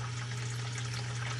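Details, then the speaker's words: Basement sump pump just after its discharge pipe was cleared of an iron ochre (iron bacteria) clog: a strong, steady hum with rushing water, no rattle or grinding. Normal running, drawing the water level down. "you can hear it's on right now again pump is on right now"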